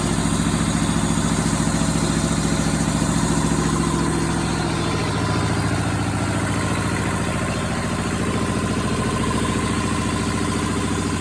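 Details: Perkins 2-cylinder diesel in a Power Pony, first start after sitting for months and bleeding the fuel system at the injector pump, with glow plugs used: an even, steady diesel thrum at about ninety beats a minute, idling healthy.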